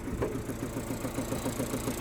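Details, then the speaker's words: Engine idling unevenly with a regular lumpy beat, running on three cylinders; disconnecting one cylinder changes nothing, so that cylinder isn't contributing. Misfire, cause not yet confirmed. "there you go. And as you can hear, it's not running healthy at all. Believe it or not, it used to be worse than this. So, right now, it's running on three cylinders."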